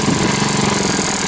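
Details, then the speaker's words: Honda HRD 535 mower, valves set at 0.30: engine runs loud and steady with a coarse, slightly uneven rattle when the blades engage, a sound owner says it normally doesn't make; cause unclear. "et on l'entend quand on enclenche les lames on va entendre une sorte de de son qui fait comme ça on va l'entendre le CL d'habitude elle fait pas"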